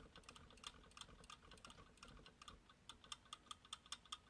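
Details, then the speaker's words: Sequential Circuits Pro-One synth keyboard, opened: light crisp clicks as keys are played, the normal tapping of each key's contact wire knocking on the common bus. "I know what that is that's the sound of this wire knocking on that that common guy there"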